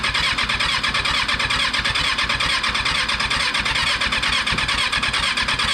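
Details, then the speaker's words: Freshly rebuilt Kawasaki 636 motorcycle engine after installation: fast, steady cranking chatter with occasional uneven pops that never catch. It sputters but won't start. "feel like we need some to bottle action because when he when he goes over on those two it seems to do a little sputter"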